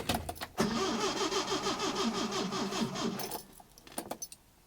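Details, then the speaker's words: Datsun 510 with twin SU carbs, cranking after float work: the starter turns slowly, about three labored beats a second, for under three seconds without catching; the battery is too weak and a jump pack is needed. "battery is dying. God damn it."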